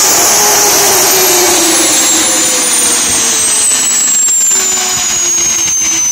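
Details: Tiernay turbine run again after sitting two years, following repair of a high-pressure fuel line. High whistling whine slowly falls in pitch over a steady rushing roar, spooling evenly: normal running.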